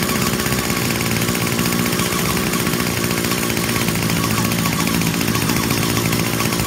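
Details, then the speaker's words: 2019 Hyper Tough H2520 25cc straight-shaft two-stroke trimmer, sat three years with fuel in tank, just started: harsh, rattly, uneven buzz; rough running, cause unknown. "sounds terrible what's going on must just be the nature of the you know they just put a little I don't know if there's a gear in there and how they do it but it's cheap"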